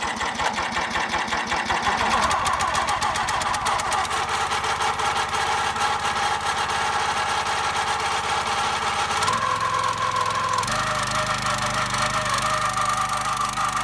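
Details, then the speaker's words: Black Diamond hydraulic wood splitter's small single-cylinder engine, first start, cold at a couple degrees below freezing, on choke: uneven chugging with wavering beat and shifting pitch; running rough while cold. "We're gonna let it warm up for a few minutes before we use it, because it's sounding pretty cold."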